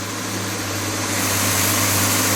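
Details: Budget turbo 250 at idle with rebuilt power steering pump: steady, even idle with smooth low hum and no whine or groan from the pump, which makes no funny noises; normal idle.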